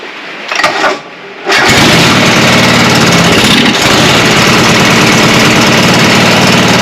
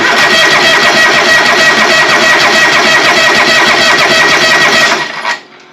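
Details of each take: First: John Deere 425 mower after new spark plugs, carburetor fuel solenoid and electric fuel pump priming: brief crank, then catches and runs steady and even; normal running. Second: John Deere 425, sat a long time, cranking after hard-start relay fitted; fuel smells bad: starter churns steadily about five seconds, never catches. Later traced to fouled spark plugs and a fuel cut-off solenoid on the carburetor.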